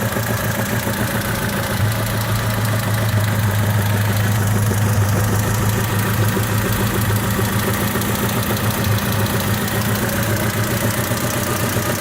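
Steady idle with a loose, uneven rattle riding over the engine at about three or four per second; source not pinned down.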